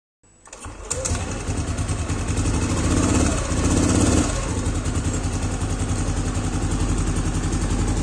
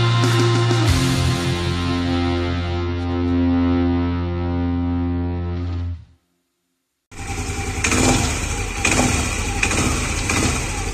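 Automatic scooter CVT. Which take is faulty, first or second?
second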